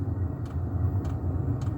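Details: Diesel air heater after initial startup, heating a house in autumn: ticking over nicely with a low steady rumble and soft fuel-pump tick about every half second; normal running.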